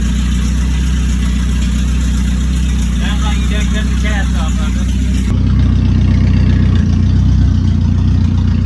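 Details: 1996 Chevy S-10 with 2.2 engine, first start after getting a battery and oil: deep, loud, raspy idle with heavy low rumble and uneven exhaust pulses; sounds like the catalytic converter was cut off.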